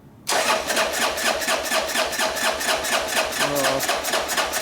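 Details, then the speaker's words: Harley Sportster, hot-wired, light choke and quarter throttle: steady starter cranking that never fires. Very little fuel in the carburetor; crank, no start from fuel starvation. "cut it off cranking all day ain't gonna make no difference i know i know ask how much fuel is in the carburetor it doesn't appear to be very much at all well you're not getting fuel to your carburetor"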